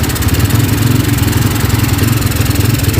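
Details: Honda Tiger single-cylinder motorcycle that smokes when cold and has lost power, just started after a wash: steady idle with fast, light, rough clicking from the cylinder head keeping pace with the engine.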